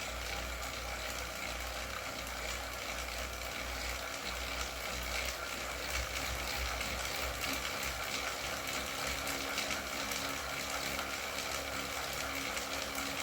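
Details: Wahoo KICKR CORE trainer with Zwift Ride, strapped to a rocker plate, pedalled at about 90 rpm and 170 W: steady even flywheel whir with no clicking. The intermittent known clicking fault is absent here; the unit was later replaced.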